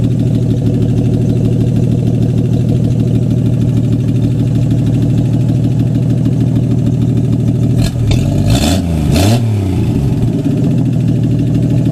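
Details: AMC 199 engine in a 1951 Hudson Hornet, just reassembled after a cylinder head rebuild and started: steady, even low idle with a smooth beat, no knocks or ticks, one short throttle blip midway; normal idle, running good.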